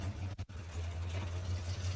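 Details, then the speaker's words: All-original 1977 Ford F-150 after full wiring harness and ignition system replacement: steady, even low rumble at idle with a brief early dip, no knocks or misses; starts instantly and idles smoothly. "You really can't ask for anything more than that. It pops right off."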